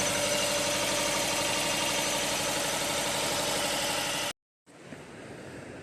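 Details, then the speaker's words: Jeep Cherokee 2.4 MultiAir, shaking driving and at idle: idling with a lumpy beat of about four stumbles a second from a cylinder 3 misfire; scope shows no firing line on the cylinder 3 ignition trace. "See this vibrating? It's from the, looks like engine misfiring."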